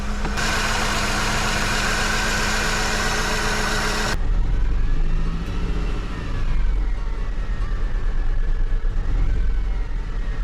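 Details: Mercedes W203 C180 Kompressor, 67k miles, during oil-leak repair; lumpy uneven idle surging and sagging every second or so: misfire.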